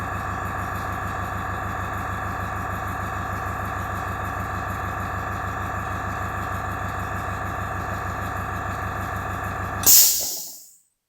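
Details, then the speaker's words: AS196 airbrush compressor after cleaning its check valve, filling tank to 4 bar cut-out; steady motor hum with fast pumping pulse, then clean shut-off; filling properly, tank now holds air. "Right, so we're just waiting now for the pressure, the tank to fill up to max pressure of 4 bar and for the compressor to cut out. Or the pump to cut out."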